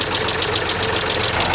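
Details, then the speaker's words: Land Rover Freelander SE3 with KV6 V6, miked via stethoscope: a sharp, light ticking at about nine per second, loudest at the top of the cylinder head and behind the intake camshaft; a tapping hydraulic lifter. "so you can kind of hear it off the valve cover a little bit on the intake manifold a little bit on the front cover but if we go down against the Block it's fairly distinct right here on the top of the cylinder head"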